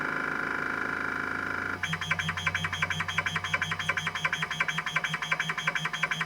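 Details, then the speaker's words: Epson Apex Plus's original 20 MB Kyocera KC-20B MFM hard drive, fixed after a decade of not working properly, running SpinRite 2 v2.0 after a check found no bad sectors: steady whir with crisp, even seek clicks about three per second; normal seeking. "Now that's what I'm talking about. Man, this drive sounds so cool. I never get tired of that sound."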